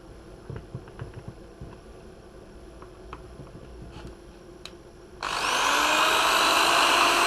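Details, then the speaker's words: Bosch corded drill after repair that fixed a strange noise and low speed: after handling clicks it spins up smoothly with a steady whine, now running normally with new brushes, a cleaned motor housing and a replaced power cable that had a poor contact. "este taladro Ya está listo para nuevas batallas"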